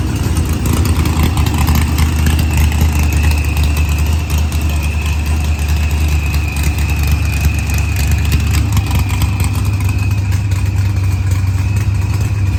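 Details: Green Challenger with a supercharged LS swap, idling after a head gasket repair, with timing locked at 30° to verify ignition timing. Deep, even idle holding steady with no misses or knocks; running smoothly.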